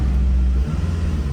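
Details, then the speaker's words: Acura RSX Type-S with stock exhaust after cold start: deep low exhaust rumble swelling briefly with a quick rev blip and settling back, smooth with no rattles; healthy engine. "stock exhaust still has a little nice Rumble uh let's give a little bit of Reds let's see maybe we can hear it"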